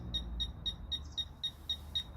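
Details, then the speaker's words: Fisher F-Pulse pinpointer air test, no obstacle between target and probe, moved closer to target; sharp high beeps about four a second, quickening slightly, signalling a nearby target. "Vous entendez, les bips deviennent de plus en plus rapidement."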